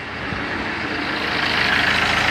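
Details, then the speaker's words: 2011 Fiat Ducato, F1A 2.3 16v Multijet turbo diesel, with a burst, leaking injector return line: slow cold cranking takes over a second to catch into a rough idle. It also cuts out under power. "o carro também está com certa dificuldade de partida a frio né então ligar aqui pra vocês ver com a dificuldade de partida"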